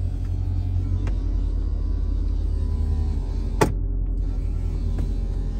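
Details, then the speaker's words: Mercedes-Benz SL55 R230 Vario roof hydraulic pump, possibly low on fluid from a hidden leak, car on a sloped driveway: steady low laboured droning hum while button held a long time, never picks up; owner suspects weak pump or air in system, unconfirmed. "hear that strain that struggle that's a lot of straining I was holding that button for quite a while now"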